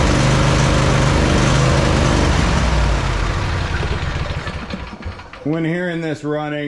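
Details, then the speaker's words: John Deere 145 mower, Briggs & Stratton V-twin, found with no oil on the dipstick and popping complaints: uneven, lumpy idle at roughly three or four beats a second. Runs rough; worn cam lobes from low oil suspected, not confirmed. "you can hear the way it's running, and it's a common symptom of worn cam loes from from running low on oil. It'll never run right."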